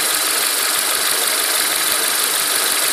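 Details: Renault Megane K4M petrol engine at idle with a fast, even, non-typical ticking knock that sometimes disappears for a second or two; timing belt kit and dephaser pulley changed within 30k km; owner suspects hydraulic lifter, tappet additive added.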